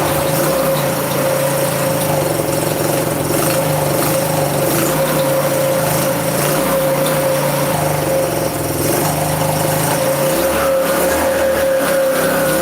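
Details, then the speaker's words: Free Chinese 150cc scooter, engine running on old carb before carb clean: steady buzz but idle wavers and sags; won't hold idle, no clanking from the motor, cause unconfirmed. "We don't hear any clanking in the motor. You know what I mean? So nothing serious. That's the best case scenario there. Just won't keep idle."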